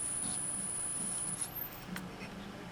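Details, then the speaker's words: 1956 GE 14T014 black-and-white portable tube TV with its bad boost filter capacitor bridged and then disconnected: a thin, steady high-pitched whine that suddenly slides upward out of hearing; abnormal whine from the missing boost capacitor. "I found another bad capacitor which I just bridged over which was the uh boost and you can hear if I disconnect it this is the Boost"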